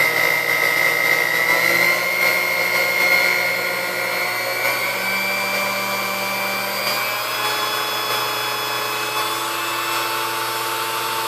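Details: Chrome Sunbeam Mixmaster Model 12 mixer motor after service and maintenance: steady high whine with a smooth, even hum, pitch settling slightly as speed is adjusted; runs cleanly, speed range reaching just past 10 suggests it needs adjustment.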